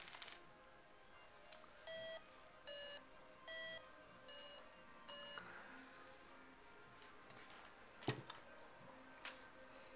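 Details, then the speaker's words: FlightComputer V1.0 variometer indoors: five short steady-pitch beeps about one per second in a quiet room; climb tone rises in pitch with faster climb and goes silent on descent, working normally. "The beep is set to get higher pitched as the variance increases. So as you go up faster, it gives a higher pitched beep."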